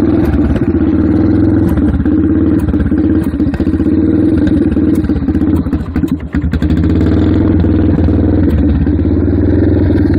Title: Yamaha ttr 230 rough idle and sucking sound